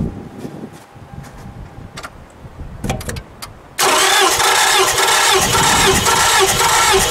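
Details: Car with a no-start complaint during a cylinder 1 compression test: after a few clicks the starter spins the engine with a fast, even whirr. Reading is 12.45, judged a good result.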